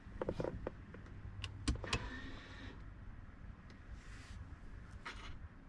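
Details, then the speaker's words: 2018 BMW X3 (G01) 2.0 turbo diesel, rear electric parking brake retracted to installation position via Foxwell NT530 scan tool before pad change: a couple of clicks, then a faint, even motor whir for about a second; normal retraction. "So I can hear the brake unwinding. And this tells me that I can now go ahead and change the pads."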